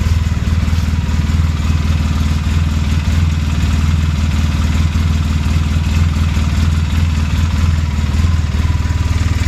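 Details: 2007 Polaris Sportsman 800 with only 15 hours, steady idle with a rapid, fairly even clanking/tapping from the right side of the engine; some suggest a normal oil pump noise, others a failing water pump, unconfirmed.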